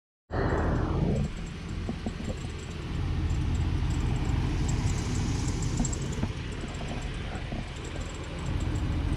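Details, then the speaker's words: Jeep WJ at idle, hot after about an hour of driving, with quick high-pitched bird-like chirps from low on the accessory drive. A dry idler or tensioner pulley bearing is the cause. "Little birdie in there. Little birdie. Sounds like it's coming from down yonder."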